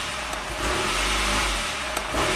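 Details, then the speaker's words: 1993 Saab 9000 CSE Turbo, hot idle stuck high at about 1,400 rpm, flashing check-engine code 5 (suspected TPS signal), suspicious aftermarket wiring. Opening the throttle makes it sag and nearly stall, then rev up. Throttle stumble on tip-in. "press the throttle it drops off a cliff so it's kind of a and then revs up"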